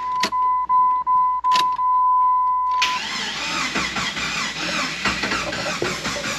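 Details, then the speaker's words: Jeep cranked on a jumper battery: the starter turns the engine over sluggishly and unevenly for a few seconds without catching. The battery is too weak and a stronger one is needed; the owner thinks the engine runs but doesn't sound good. "I had to get a hotter battery"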